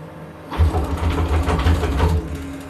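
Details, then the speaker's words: CNC milling machine Z axis with linear scale, formerly accurate to hundredths of a millimetre, now deteriorated: low shuddering rumble with irregular chatter as it moves; a loose screw at the ball screw nut lets it vibrate. "where does that come from now? I don't know. It must be over here somewhere, at the slides, linear scales, ball screw."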